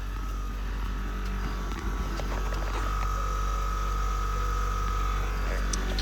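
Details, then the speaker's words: Diesel truck with key power on during wiring cleanup: the air compressor is heard running toward the rear as a steady low drone with a thin constant whine, alongside the air dog fuel pump; it runs evenly with no knocks. "and then we go here now you can hear the compressor running back here"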